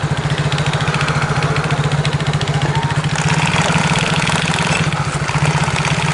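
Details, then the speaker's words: Yamaha X-Ride scooter at idle: loose rhythmic knocking from the CVT about two beats a second, rear wheel turning without throttle; worn variator rollers. "Oke teman-teman, jadi penyakitnya seperti ini. Suaranya pun godok-godok seperti itu di bagian CVT. Nah, rodanya pun juga ikut muter."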